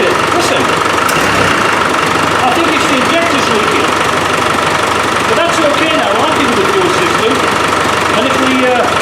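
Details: Land Rover 300Tdi diesel with a hard-starting fuel problem, idling after a new pump is fitted and injector pipes refitted: steady, even unbroken beat with no misfire or stumble; runs as it should, hard starting sorted.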